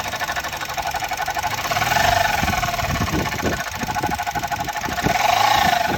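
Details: 2018 Suzuki Jimny petrol engine, noise from back left of engine since last week, comes and goes for seconds to minutes: fast, uneven tapping with a rising-falling whirr on top; abnormal engine noise, cause not pinned down.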